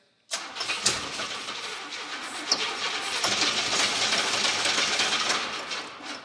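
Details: 1988 Camaro IROC-Z, first start after 27 years stored: steady fast cranking about three beats a second with hiss, no catch; fuel pump not heard running and fuel old, so fuel delivery suspected.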